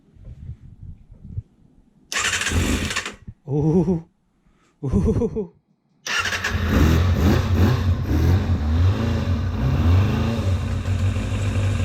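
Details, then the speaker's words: Kawasaki ZXR250 first start in 18 years, with lube sprayed into the cylinders beforehand: several cranking bursts, then it catches and runs with a steady, slightly ragged beat and some expected smoke. The engine starts and runs. "got it does sound like a Formula One [Music] we got a little bit of smoke to be expected"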